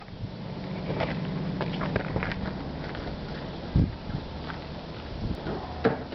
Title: 20v misfire